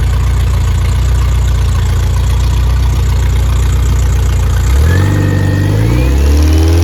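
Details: Rebuilt Triumph Spitfire/MG Midget 1500 engine after fire damage repair with new valve springs, oil pressure settling at 60-65, electric fuel pump audible: firm steady idle, smooth pitch changes, no knocks or rattles; healthy engine.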